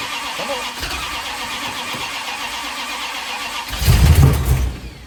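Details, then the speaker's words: 1972 Dodge D100 with a new solid roller cam and Speedmaster heads, after re-phasing the rotor: sluggish, uneven cranking that barely catches, a brief rough burst near the end, then fades; the battery is then charged for an hour. "Oh, that's a freaking battery charge. Battery's charged for an hour. Hopefully, it'll finally start."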